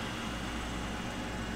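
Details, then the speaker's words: Coleman Powermate 800 W inverter, recovered from a chicken coop, powered on after a replacement switch was fitted: small fan gives a steady, even airy hum with no rattle or scraping; normal cooling fan operation. "now let's turn it on very carefully careful around all this stuff don't touch the wrong thing uh-huh you can hear that fan spin"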